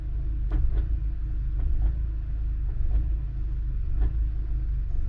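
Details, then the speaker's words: VW Mk7 GTI with IE engine and DSG tune, warm at operating temperature (idle 750–760 rpm), in park with foot on brake, running a DSG adaptation: steady idle with a dull clunk about every second as it steps through the gears; normal engagement clunks. "you can hear it it's going through all the gears in here you hear clunks and stuff like that and that's totally normal here shifting"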